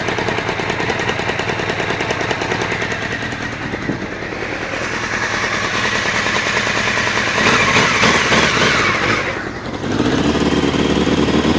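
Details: Honda CBR600F2 four-cylinder idles with a fast, rattly clatter, then revs up and back down; source unidentified, but the owner says it is not the cam chain tensioner.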